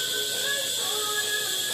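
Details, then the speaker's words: Newly replaced sink water supply shut-off valve, water turned back on with no leak, bleeding through a hose: steady airy hiss with faint sputter as trapped air purges; normal. "hear all the air there a lot of air in there"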